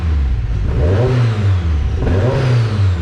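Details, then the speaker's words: Turbocharged car started after the problem was fixed, on the third attempt: catches and revs cleanly twice, rising and falling smoothly with a faint turbo whoosh; runs sound and even. "i think you got this nervous prime it one more time one more time three three's a charm man that sounds great"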